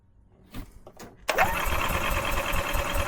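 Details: 2012 EZ-GO TXT gas golf cart with Kawasaki engine: crank-no-start with a fuel smell. The starter churns at a steady rapid rhythm but the engine never fires. Fuel flow looks good; possible water in the fuel is suspected, cause not confirmed.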